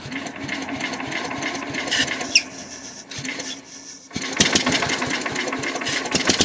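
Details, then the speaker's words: Old Sears Craftsman Suburban 12 hp tractor, started with new battery and squirts of carb cleaner, throttle worked by hand: engine clatters fast and unevenly, nearly dies, then picks up; carburetor suspected. Rough running. "Alright, well, it wants to run. We're going to take this carburetor off of it and see if we can get it to run without me playing with it."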